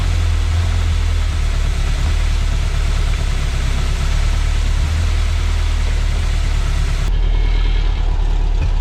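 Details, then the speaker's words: 1973 Chevy Corvette V8 that sat over 15 years, first start in cold weather on fresh 5W30 oil: loping idle with an uneven stumble. Owner suspects a misfire from very old spark plugs, not yet confirmed. "Sounds like there's a misfire, so we're probably going to need some new spark plugs."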